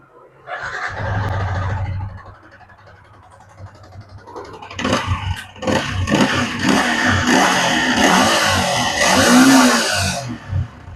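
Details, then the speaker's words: Yamaha Vixion motorcycle engine with piston and cylinder block damaged by late oil changes starts and revs with a harsh, rattly clatter, without smoking; owner denies late oil changes. "Yamaha Vix dengan keluhan mesinnya itu berisik berisik seperti piston yang rusak tapi dia gak ngebul untuk suaranya itu sangat kasar teman-teman ya"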